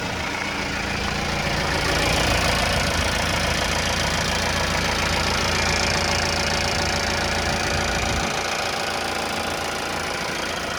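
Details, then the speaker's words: 2018 Mahindra Roxor turbo diesel, starting right up with clutch in after a long fuel-pump prime, then idling with steady, even diesel clatter, smooth unchanging beat, no misses or knocks; normal healthy idle. "Okay, clutch in, and it starts right up. That's one thing I love about the Roxor."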